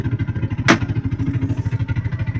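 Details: TVS King Deluxe three-wheeler (bao-bao), after replacing high-tension wire for stalling, hard starting and low power uphill: steady low putt-putt at even beat with one brief hiss burst; normal idle.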